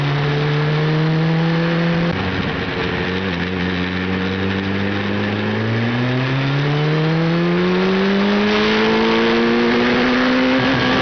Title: Hayabusa misfires (ignition failure)